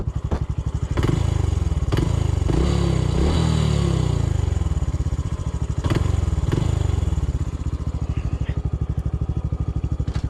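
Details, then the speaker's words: Honda CT125 on a steep uphill trail under power: steady single-cylinder thump about three beats a second with metallic clatter; knock heard from the engine area. "the engine's making all sorts of metal noise okay why don't you ride it see what sounds you hear yeah in here sounds like it could be the cylinder"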